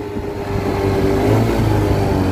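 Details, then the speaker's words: Chinese 50cc scooter engine on a ScootSled, CVT with three variator rollers; revs very high with weird shift points under throttle. Shoots up and hangs at high revs; over-revving from too-light rollers. "however it is revving very high and it's creating weird shift points so what we need to do is remove the rollers that are in there and put three slightly heavier ones"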